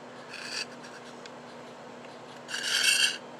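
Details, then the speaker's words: Western Auto Revelation No. V1326 automatic fly reel, non-working, just reassembled and turned by hand: two short dry rasping scrapes, something rubbing inside where it shouldn't; a small internal part suspected, not confirmed. "That sounds terrible, doesn't it? It's definitely like something's rubbing that shouldn't be."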